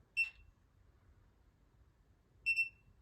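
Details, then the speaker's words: New replacement ULTRALOQ U-Bolt Pro smart deadbolt, unlock sent from the app: two short high beeps about two seconds apart, no motor whir, bolt doesn't move. Owner wonders whether it is losing connection; cause unknown. "Great, unlock. Not working. I don't know if it's losing connection and that's what's going on or what."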